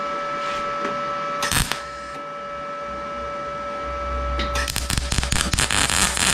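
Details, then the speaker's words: Arccaptain MIG 200 MIG weld with the nozzle held too far off: an erratic, spitting crackle instead of a smooth sizzle, the sound of excessive wire stickout; nozzle should be a quarter to half inch away. "A little too fast here. And it was too far away. Wire stick out a little too long. >> Yep. And you can usually hear the wire stick out of it."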